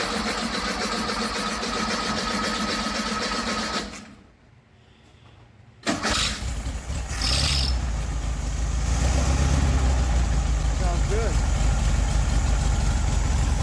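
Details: 1969 VW Beetle, had stopped running, after fitting a modified ignition coil: cranks, fires and settles into steady air-cooled idle chatter; normal idle.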